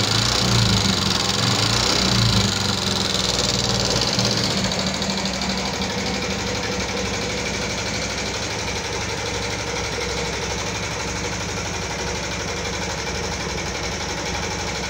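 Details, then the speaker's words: 2014 Yamaha Jupiter MX carburetor motorcycle with rough-running complaint, idling with a rough dry ticking about three clicks per second from the top end; possible valve train wear, cause suspected, not confirmed. "Oke teman-teman sudah mendengarkan sendiri suara kasar pada motor Jupiter MX karburator ini yang akan mekanik bengkel kerjakan. Seperti apa suaranya, ngeletek-ngeletek, kletek-kletek, seperti itu ya teman-teman ya."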